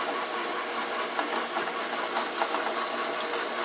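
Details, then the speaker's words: Shopsmith Power Pro headstock back from repair, running at 500 RPM with faceplate-mounted workpiece: smooth motor hum but loose irregular rattles about once a second from inside the headstock; it also chatters and wobbles. "I don't like that noise it sounds like it's running smooth but you can still hear it rattling around in there"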